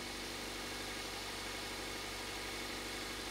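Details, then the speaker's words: 2001 Toyota Avensis, spark plugs still to be changed: quiet, even idle with soft steady hum, no misses or stumbles, runs a million times better, then revved; normal idle after repair. "we're going to change all them but just let's hear what it sounds like first a million times better so you rev it up there we go"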